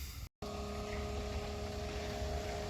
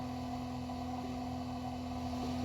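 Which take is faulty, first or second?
second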